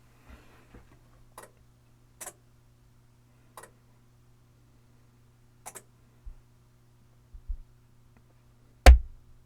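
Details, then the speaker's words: Amplifier with a DC voltmeter on the speaker terminals, mic next to the box: faint ticks over a low hum, then one sharp relay click as protection disconnects the speakers over DC offset. "do you hear it do you hear it kick out it disconnected the speakers and now it's in protect mode and you can see I have quite a bit of DC offset"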